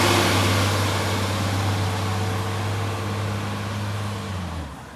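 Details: Brisbane garbage truck diesel near idle: low rumble with a loud raspy hiss and puffing on top that fades as revs drop; a blowing exhaust leak.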